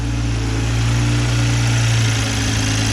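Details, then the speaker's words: 2020 Toyota Supra after installing a Boost Logic cat-less downpipe, O2 sensors not yet plugged in, checking for exhaust leaks: steady idle with light, quick tick about four a second over exhaust drone; ticking at idle, cause unconfirmed. "can you guys hear any exhaust leaks all i hear is the tick bro"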